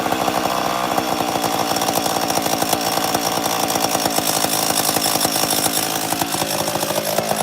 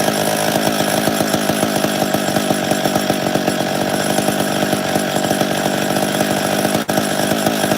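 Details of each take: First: 850 chainsaw with bar oil in the cylinder coming out the muffler: fast, even two-stroke buzz holding steady with no stumbling or misses; shown as how an 850 should idle; normal idle. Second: Chainsaw (850) that should start well and idle clean runs at a fast, busy pace with a rough, uneven firing rattle; bar oil got sucked into the cylinder during storage and is coming out the muffler, needs fixing.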